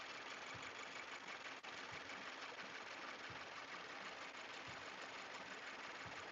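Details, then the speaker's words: 2018 Subaru Forester XT warming up at idle, just out of warm-up mode; faint uneven light chatter about every 1.5 s, not constant with engine rotation, new since recent days; owner suspected lifter or roller rocker issue, belt about to come off to rule out; source undetermined. "it's like a little bit of chatter it's not constant with engine rotation which is weird"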